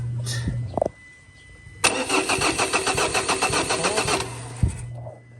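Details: Ford Ranger diesel, hard starting when hot: about two and a half seconds of steady cranking, then a catch and quick stumble; suspected crankshaft or camshaft sensor, suction control valve, fuel rail pressure sensor or fuel pump, unconfirmed.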